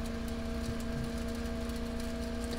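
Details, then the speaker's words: Bedini monopole 12 V motor prototype, coil of 20 and 26 gauge wire at 420 turns, 25 W 1K pot circuit. Steady high-speed whir with a clean tone near 220 Hz and whine overtones at max speed, about 17–18,800 rpm with no load. Running smoothly. "so that's that's your max speed there so let's check what the speed is so we're 17 18800 RPMs with no load so"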